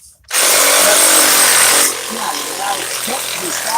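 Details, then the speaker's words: DeWalt XRP cordless Sawzall with a fresh battery: loud fast high-pitched steady cutting buzz, noticeably stronger and faster than on the weak battery, then quieter rattle; healthy full-speed running. "All right, so it's a fresh battery in here. Maybe charge. Now, listen to the sound saw, and you'll hear the difference right away."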